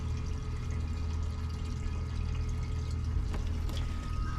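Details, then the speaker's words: NITIGO fuel transfer pump with auto-stop sensor, pumping gasoline into a jug: very quiet, even low hum under pouring fuel, no rattle or straining, shutting off automatically when full; normal fuel transfer pump running. "And again, you can barely hear that even running."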